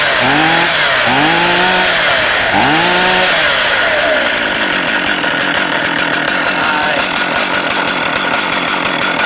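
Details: Stihl MS440 chainsaw with 24-inch reconditioned bar and brand new chain: fires up with quick rising and falling revs, then a crisp steady buzz at speed; starts easy, runs healthy.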